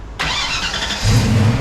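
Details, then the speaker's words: 34-year-old Fox Body Mustang on a road trip, just after a new starter was fitted: brisk, strong crank under a second, then the engine catches and settles to a steady low rumble. Normal, much healthier starter cranking. "he that sounded a little different too that sounded nice and strong it sounded way better"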